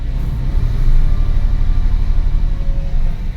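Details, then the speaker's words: Porsche 996 C4 after clutch repair, with the faulty release bearing identified as the problem: low steady engine rumble as reverse engages and the car rolls back, clutch taking up smoothly with no judder or chatter. "moving back you see it so yep this clutch is working properly you sorted out the problem the problem was the actual release bearing"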